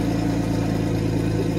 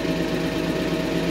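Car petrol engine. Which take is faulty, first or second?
second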